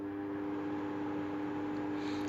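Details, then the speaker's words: Inverter split air conditioner after fitting a universal control board (had error E0), switched on in cool mode at lowest temperature: steady airy whoosh with smooth low hum from the indoor unit fan; normal start-up. "que se escuchó al encender es el forzadores el viento el ventilador de la unidad interior"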